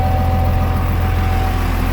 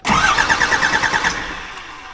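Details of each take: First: Cummins 12-valve 5.9 diesel swapped into an ex-Powerstroke Ford F350 OBS, first start after fixing an oil pressure gauge plug, charging at 14.2 V with oil pressure; deep, steady, even idle with no knocks or misses; runs healthy. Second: Cummins 12-valve 5.9 diesel swapped into an OBS Ford F350, first start attempt while bleeding the injector lines: quick, even cranking pulses about ten a second that fade out without firing, because of air in the injector lines.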